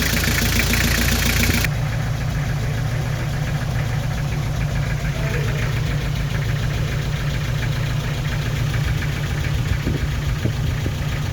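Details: Nissan TD27 diesel idling with an uneven, stumbling knock and shaking from a misfire, also smoking from the exhaust; injectors to be checked one by one.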